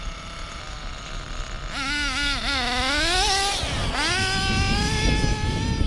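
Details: Hobao Hyper 7 nitro RC buggy after new generic clutch, exhaust gasket and elbow, idle leaned a quarter turn: quiet idle suddenly climbs into a high wavering scream, dips, surges again unprompted; runaway idle, owner suspects the clutch.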